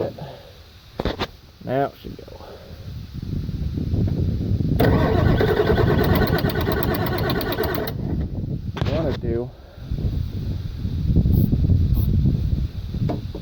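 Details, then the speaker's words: 1996 Ford F-250 7.3 Powerstroke, about 50°F, glow plugs inoperative: several seconds steady cranking about four beats per second before catching rough; won't start below about 60°F. "about 50 degrees out and this chick this thing does not start anything below about 60 little plugs don't work"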